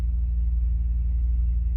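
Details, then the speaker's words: 2006 Bentley Continental Flying Spur (salvage) with the oil pan refitted and fresh oil, heard under the hood: low, steady, even idle with nothing knocking on top; normal idle. "Now looking underneath the hood here, the engine's running just like it should. It sounds like it should."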